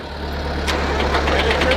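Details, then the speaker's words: Old smoky diesel steamroller started with starting fluid: low, lumpy thrum with uneven ticks on top; runs but rough, owners suspect a fuel line needs fixing and maybe a filter change. "Sounds like it will run. Just probably got to fix a fuel line. Maybe change a filter."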